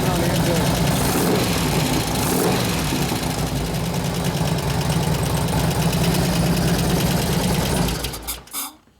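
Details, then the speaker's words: 2004 Harley FLHT Twin Cam 88 after cam and tensioner bearing job, with new lifters and new oil: loud idle with a fast, fairly even tick, about four per second. New lifters not yet pumped up; expected to quiet after 15–20 minutes. "I had to bring you know Altima lifters put in there so so SNS told me you run it for about 15 or 20 minutes and it should go away every time"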